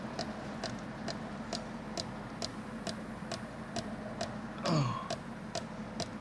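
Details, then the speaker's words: 1997 Mercedes S500 coupe cabin: sharp, even tick about every half second, roughly 130 a minute, as the side mirror drive keeps clicking; cause unknown. "This is still making weird sounds."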